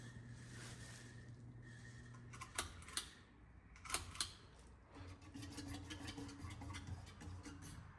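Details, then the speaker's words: Nutone Verandah Deluxe ceiling fan on its highest setting with a different (Nutone Skylark) control fitted. Steady low motor hum with a faint higher tone and a few sharp clicks; the unexplained noise appears at top speed. "This, I believe, is the highest setting. And there's that noise."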